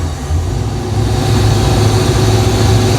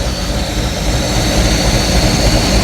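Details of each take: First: Project boat V8 with timing only roughly set at number one, floored on the water: deep rumble builds slowly, never picks up sharply, bogging; owner suspects fuel issues, fuel pump found not working. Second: Free project boat revived: steady deep rumble with constant whine, smooth even idle, no knocks or misses; smoking from oil dumped in cylinders to free them, alternator belt flopping and slipping, oil pressure good, not yet warm.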